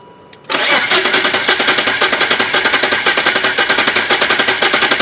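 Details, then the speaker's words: BMW M3 revived after four years sitting, compression test on cylinder 6 with fuel pump fuse pulled: quick, even, strong cranking pulses with no hesitation; reads about 185 to 190 psi, matching other cylinders, healthy compression. "All right, 185, stay alive. Almost 190. All right, much better."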